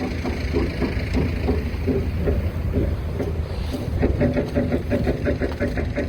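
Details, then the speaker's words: KTWO muckspreader behind tractor after repair for beater vibration, grease nipple refitted: steady churning rattle from beaters under tractor rumble, catching noise gone, no knocking; running normally. "There we go, that noise has gone, whatever that was catching."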